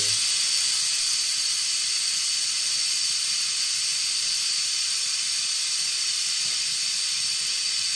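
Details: Autoclave sterilizing tattoo grips mid-cycle, near the halfway mark: a steady, even high hiss with no surging or sputter. The safety valve is bleeding off at steady pressure and temperature, which is normal.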